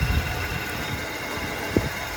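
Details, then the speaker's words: Buick Roadmaster (former film car) idling after it finally started once something near the low coolant level sensor wiring was touched; quiet, low, even idle with soft rumble, no stumbling or misfire; normal idle. "Uh, as you can hear, the car is now running."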